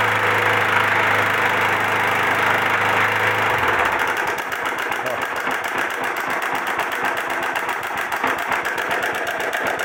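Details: 2004 Honda Titan 150 motorcycle engine running with an ugly noise: a fast, dry, sewing-machine-like clatter of about four ticks a second, cause not yet known before teardown.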